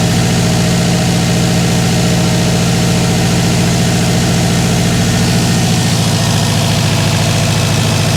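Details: Freshly rebuilt Subaru WRX 2.5 turbo boxer just after first start: steady even idle with usual lumpy boxer burble, no real misfire; runs smoothly.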